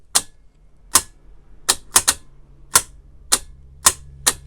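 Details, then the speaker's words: Land Rover Defender TD5 in-vehicle safe with a new digital combination lock. A big solenoid drawing over six amps, not yet bolted in, fires sharp crisp clacks at irregular intervals over a faint hum, throwing the lock cleanly and working well. "so that actually works quite well the solenoid takes over six amps so it's a little bit heavy duty compared to the last one"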